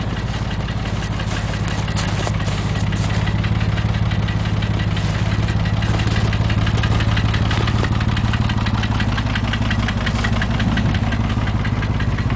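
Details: Porsche 911 (996) 2000, 110,000 km, flat-six at idle: sharp, regular ticking knock roughly three per second over steady idle; internal engine knock, cause unknown.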